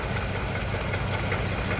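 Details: 2015 Range Rover Sport after engine replacement, persistent cylinder 5 misfire: uneven, lumpy low idle with a stumbling pulse each cycle; compression loss from a burnt valve, confirmed on teardown.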